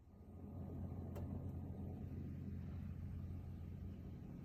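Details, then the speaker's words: Samsung fridge making a steady low humming buzz while dispensing water; defrosting and checking the rear fan for ice didn't help, and replacing the water filter stopped the noise immediately. "if you have the same noise when getting water and you see that it's not the back and you've already defrosted the fridge and the fan in the back of here is not touching any ice and you still hear that noise then change the filter here that was the problem"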